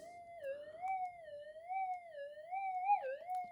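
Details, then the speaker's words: Minelab GPX 5000 metal detector, coil wiggled: wavering mid-pitch tone that swoops as it is flexed, changing audio from a cracked mylar strip causing loss of depth; intermittent audio from cracked mylar strip. "it changed tune again I heard that okay get in get my head right in there yeah yeah yeah it's changing I can hear the audio change now hear that"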